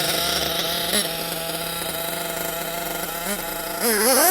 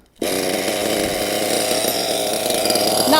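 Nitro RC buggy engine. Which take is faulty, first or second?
second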